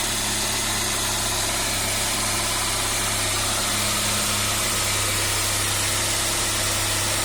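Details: 1998 Saab 9-3 2.0 petrol engine idling steadily with a fast, loose rattle over its low hum; the rattle sometimes gets much louder.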